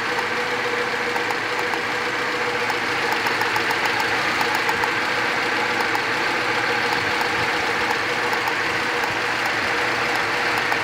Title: Показываю как троит двигатель. Дёргается стрелка тахометра. Устранение причины.